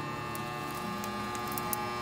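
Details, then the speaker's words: Wood stove's open air-intake door, a small door that lets air in to reheat the fire, buzzing steadily with a thin metallic edge; owner says it needs oiling. "you hear that buzzing right now that's because our door open and I need to oil it see there's a little door right there"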